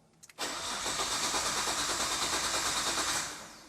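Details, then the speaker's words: Nissan R32 GT-R of unknown history, first start attempt after fuel, power and oil checks: starter cranks evenly about three seconds without firing; fuel pump sounds weak and appears to get only 5 volts, cause unconfirmed. "The engine sounds good. Yeah, it even though it's not starting, it sounds good."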